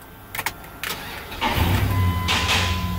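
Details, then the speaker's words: Vehicle that stalled at idle, after cleaning a clogged throttle body and dirty idle air control motor and resetting with a scan tool: a short crank, then it catches and idles steadily on its own without throttle. "it idles on his own without me holding my feet foot on the gas pedal"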